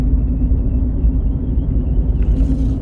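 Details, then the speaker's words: Ford Fusion Hybrid road test, customer complaint of noise from the rear: deep, steady droning roar while driving, swelling and easing with load; bad wheel bearing roar. "Can you hear that? That roar, roar, roar."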